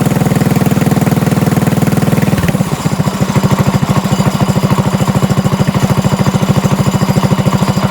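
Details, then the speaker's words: Trike small engine, pull-started with a little gas after checking fuel, spark and filter: it settles into a rough idle with a steady knock about three times a second; the owner was unsure whether it was top or bottom end, and it was later found to be the clutch. "okay so I think the knock is still there but it's I'm not sure if it's a top end or a bottom end knock it might be at bottom end but it could also just be me"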